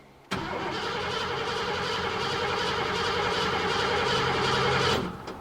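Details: 1986 Ford F-150 with 5.0 L V8, towed in, cranks but won't start: the starter cranks steadily for about five seconds while a spark tester is on a plug wire, but the engine never fires; spark is intermittent.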